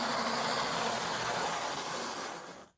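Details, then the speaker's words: Older analogue model locomotive at full speed on a floor test track: loud, rough whirring with a harsh rattle, struggling on the corners and back section; it still runs and is rated a semi-runner needing a service. "No, she really doesn't like that corner, does she? She really doesn't like this back bit. Well, she's making a lot of noise, but she's actually running."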